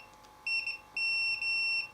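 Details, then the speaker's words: Samick KS10 guitar amplifier power rocker switch under continuity test: the beep cuts in and out unless the terminal is pushed; switch contacts are faulty and the switch needs replacing. "yeah cuz it it doesn't make very good continuity until I push on the actual terminal so yeah I'm going to say that this switch is absolutely and utterly knackered"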